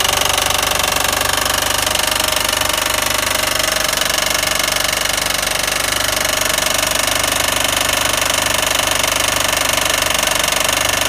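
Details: 2007 Mitsubishi Eclipse GS 2.4L running: steady metallic rattle/knock about three beats a second; alternator tested fine, timing belt slightly loose, cause still unknown.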